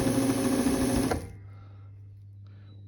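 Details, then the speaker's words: Vintage Viking Husqvarna 33-10 sewing machine after cleaning and a tension unit repair: quick, steady clatter about three and a half stitches a second, even and unstrained. Normal stitching. "so this is what it sounds like isn't that nice at night"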